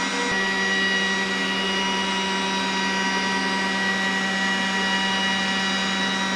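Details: Stock exhaust fan on a Glowforge Basic laser engraver, recorded with a shotgun mic at startup and during a cut, before an inline-fan upgrade: steady loud roar with fixed hum and high whistle; loud, worse with build-up.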